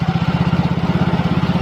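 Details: Yamaha Mio Soul GT fuel-injected scooter that would not start at all, after readjusting valve clearances found too tight (suspected poor reassembly after an engine rebuild): even steady low putter at idle, no misses or tapping; normal idle.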